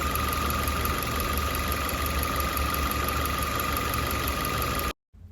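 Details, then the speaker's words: 2021 Maruti Ignis petrol, about 20,000 km, idling with the bonnet open before repair: a constant high whirring drone over the engine. The cause was a worn water pump bearing, found by stethoscope and fixed by replacing the pump. "തുറന്നു കഴിഞ്ഞിട്ടുണ്ടെങ്കിൽ നല്ലപോലെ sound വരുന്നുണ്ട് കേട്ടോ ശ്രദ്ധിച്ചു നിന്ന് കഴിഞ്ഞിട്ടുണ്ടെങ്കിൽ"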